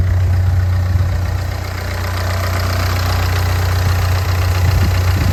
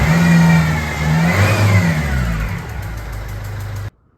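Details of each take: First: Ford Fiesta diesel after replacing a whining alternator: steady even diesel idle with usual clatter, no misses; normal idle. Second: Ford Fiesta 1.4 diesel at idle: a loud, uneven tick about twice a second over the clatter, with diesel smell in the cab and some smoke, plus a faint whine (suspected power steering pump or alternator); suspected leaking injector sealing washer, to be tightened.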